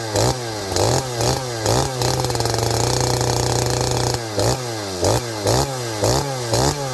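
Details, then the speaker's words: Farmertec 288 kit chainsaw, strong compression, OEM oil pump fitted: crisp two-stroke idle with quick clean blips to steady high scream and clean return; starts, idles and tunes like an OEM saw, running healthy. "Okay, friends, well, the good thing is this thing runs perfectly. Runs like an OEM saw to me. It starts, it idles, it tunes."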